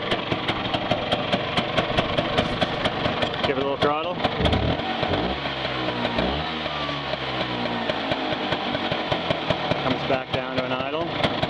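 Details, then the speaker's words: 1965 Vespa SS180 Super Sport two-stroke on a cold start after the choke: rapid, even popping at idle that stumbles and wavers after a throttle blip; hesitation from a still-cold engine, expected to go away once fully warm. "idle you can hear a little bit of hesitation in there that'll go away when it's fully warmed up it's pretty cold still"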